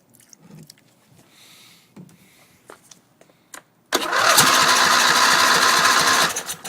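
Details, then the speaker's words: Briggs Intek engine on a racing tractor with stock throttle, primed with a little gas down the intake: quiet ticking, then a loud rough roar for about two seconds before dying; fires on prime only, starving for fuel. "fired nasty so still not getting gas but uh stay tuned it will run"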